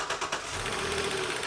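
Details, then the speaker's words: Hot running petrol engine with accessory belt removed: sharp, repeated knocking over a light whirring idle persists, eliminating alternator and front accessories; upper plenum and valve cover to come off next. "oh good enough man it's knocking and it's knocking bad so that eliminated the actual accessories on the front the alternator all the components but you can still hear it knocking like crazy right here"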